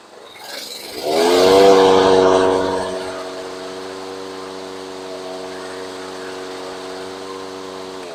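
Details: Toro Recycler mower with Briggs & Stratton engine after carb cleaning, valve clearance check (about 0.007–0.009 in, fine) and retightening a loose spark plug: catches on the pull, flares briefly, then settles into a smooth, even hum, running fine.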